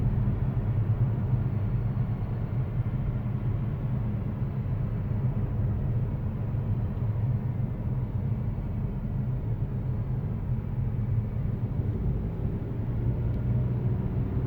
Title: Mazda 3, 2020, G150 AT - buzzing noise